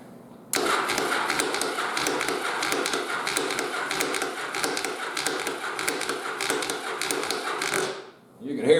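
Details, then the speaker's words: 1st-gen Yamaha XV750 Virago cafe build restarted after sitting 3 years. Very high compression gives slow, laboured cranking at about 3-4 strokes a second that never speeds up; barely turns over. Compression release later blew out a lot of fuel from the cylinder. "thing just barely cranks over so we got to give it a little bit of help"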